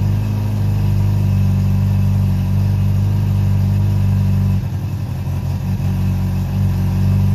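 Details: Honda CB700SC Nighthawk inline-four after a carb cleaning, with stock jetting 35/115, air screws 2 turns out, non-ethanol fuel, 4-into-1 exhaust, no airbox and throttle cables unhooked. Even idle with a brief dip midway, then a clean run. Normal idle.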